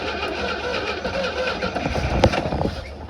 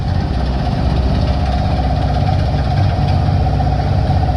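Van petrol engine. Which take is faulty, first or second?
first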